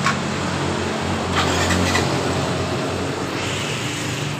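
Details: Yamaha Mio M3 scooter with fuel pump pressure of 42 psi: a steady, even low putter at idle, which is normal. It stumbles (brebet) at mid and full throttle after being shipped.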